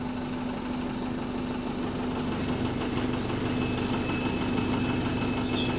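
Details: AL HV48 bus diesel engine on route 335: steady idle with a hum and an uneven deep knock about three times a second, described as loud engine rod knocking; cause not confirmed.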